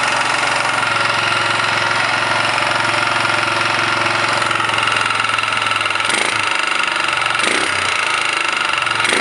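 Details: 1999 Kawasaki Bayou 220 single-cylinder idling with a steady knock on each firing stroke, roughly three to four per second; engine knock at idle, cause unknown.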